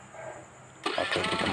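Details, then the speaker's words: Honda Beat starter motor after servicing and brush replacement, previously harsh-sounding ("ngek") and slow. It now gives a quick, smooth, strong crank with no grinding, and the engine starts easily: a healthy starter after repair. "ya suaranya sudah halus ya kemudian tenaga putarannya untuk memutar mesin sudah cukup besar motornya dengan mudah bisa kita hidupkan"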